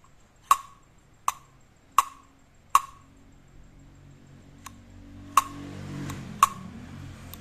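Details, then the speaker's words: Used Daiwa Sportline-1000 spinning fishing reel: crisp, sharp snaps each time the bail is flipped open and shut, about eight in seven seconds; the bail spring is strong. Normal bail spring click. "สปริงหน้ารอแข็งแรงเด้งดีครับเปิดปิดได้ครับ"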